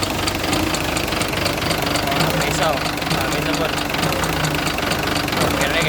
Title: rocker arm knocking noise